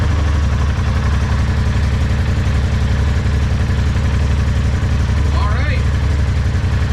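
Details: 2021 Polaris RZR Turbo XP after a no-crank fault, crank sensor refitted and torqued, oil change still pending: started in park, it settles into a steady, even low idle with a deep regular thrum, no misses or clatter; runs normally.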